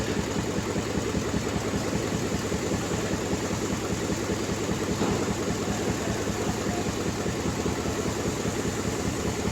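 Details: Ford Expedition at idle: uneven, loping beat with a steady stumble from one cylinder misfiring, checked with a Launch X321 Pro scanner.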